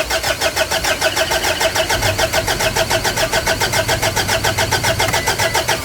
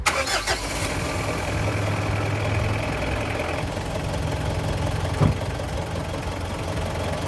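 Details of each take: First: Car engine with a long, hard starting problem, glow plugs being checked for resistance: steady starter chug around three and a half beats a second that keeps turning over without catching; cause suspected, not confirmed. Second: Diesel car engine being diagnosed for long and hard starting via glow plug resistance checks: it cranks briefly, fires, and settles into a steady, even idle with no misses or knocks. Sounds healthy.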